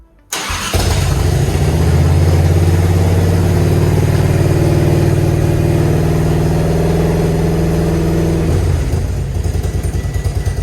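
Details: Grandpa's Harley-Davidson V-twin, off the road 15+ years, restarted after the oil check valve ball fix: catches within a second and settles into a deep, steady lumpy beat for about eight seconds, then eases down. Better than before but not great; oil still looks aerated.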